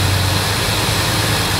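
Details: 5.4 engine running with a steady low buzz of unchanging pitch under the engine noise; source of the buzzing unknown.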